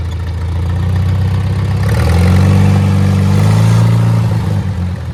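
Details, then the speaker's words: Old Farmall tractor after service, jump-started with an uncharged battery: steady, even low beat with slight rise and fall in speed, no misfire; running better than before, owner suspects worn spark plugs caused the earlier dying. "She's running a lot better than last time too. I bet you it was them spark plugs, because they look like crap."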